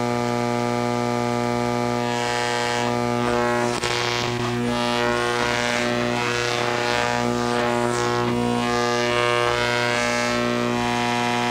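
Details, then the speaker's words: Hammarlund SP-600 receiver under repair after a prior owner's modification was altered: steady deep hum with hiss and crackle, no station; owner suspects another failed capacitor, cause unfound. "Doesn't sound right, does it? Does not sound right. For all I know, another capacitor has failed in this radio, and you know, I haven't caught up with that yet."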